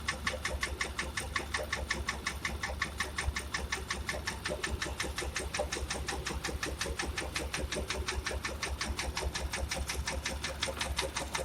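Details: Porsche Macan engine idling with a hard, rapid metallic clatter and uneven, stumbling misfire, check engine light on; scored cylinders found, engine needs a full rebuild.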